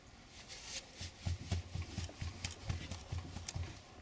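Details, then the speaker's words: Gazelle front suspension, knock while driving felt in the steering, mistaken for worn kingpins: dull hollow thumps about four a second as the shock absorber is worked by hand; worn shock absorber knocking inside. "надеюсь слышно должно быть слышно глухой звук"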